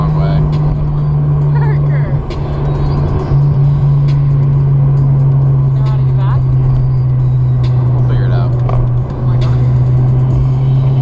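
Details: Toyota JZX100 with 1JZ engine driving laps on the C1: after about 3 minutes the misfire stops and the engine hums steadily and evenly with no stumbles, running normally again.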